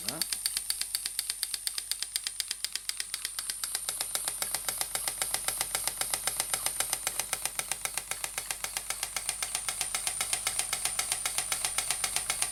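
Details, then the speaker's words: Model Stuart "Petit Cheval" donkey steam water pump, 6 cm3, run on compressed air: crisp, even clip-clop ticking around four beats a second, steady rhythm and strength; normal running. "voilà déjà avec même pas 1 2 milliard la pompe fait son travail et comme vous l'entendez fait son clope sur clope"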